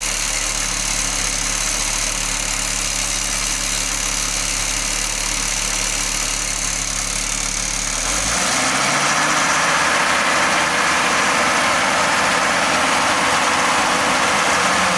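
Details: Audi 20V turbo petrol engine idling: regular pulsing noise about four beats a second from the exhaust area; turbo already removed and overhauled and not the cause, source unknown.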